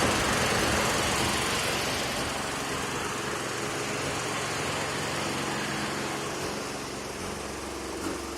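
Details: Mazda NA RX-7 rotary at idle with a deliberately made, very minor vacuum leak on the lower intake manifold from an incompletely sealed ACV block-off plate: uneven, stumbling, misfire-like idle that slowly sags; the car dies once it reaches operating temperature.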